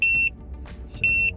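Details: Kormate TPMS on a RAM 1500 with Load Range E all-terrain tires, after a few hundred miles on a 15-degree morning: two sharp quarter-second beeps a second apart, the monitor's low tire pressure warning, still working.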